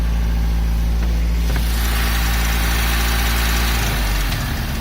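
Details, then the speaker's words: Carbureted boat engine started without choke on a water hose, in neutral, throttle set to about 2,000 rpm, kept at or below 2,000 rpm to protect the water pump; steady, even drone with firm low rumble, no knocks or misses; normal fast idle. "I'll just give it a little bit more and this will put it to about 2,000 rpms let's start it"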